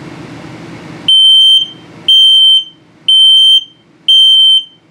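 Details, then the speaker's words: 2022 Palomino Puma 32BHQS trailer's LP gas and carbon monoxide detector in test cycle: four loud high beeps about one per second, each half a second; low battery alarm demonstration. "also if it starts beeping very slowly the same tone but very slowly it's telling you that the battery is"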